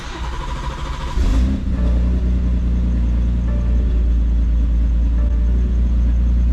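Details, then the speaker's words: Gen 1 B58 BMW 340 with big single turbo on stock motor: after a low-pressure fuel pump swap it still starts weird, catching into a low, uneven, rough idle; the already-upgraded high-pressure fuel pump had failed. "This doesn't sound right. Hello. Let me just leave you here. 340 day, guys, for now. The following day, we are hopping back into this video from when we uh left the 340 at the shop. We came to the conclusion that the highpressure fuel pump took a [ __ ]"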